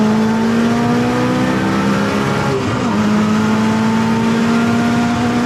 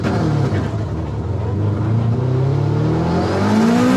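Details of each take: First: Turbo AWD Eagle Talon drag racing after new spark plugs fixed third and fourth gear: engine note climbs steadily and evenly through the pull with no stutter or misfire at the top end; launch still being tuned. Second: Turbo AWD Eagle Talon at drag strip launch: engine note sags and pulls sluggishly off the line before slowly climbing; held spool too long, built more boost than expected, rich-mixture bog.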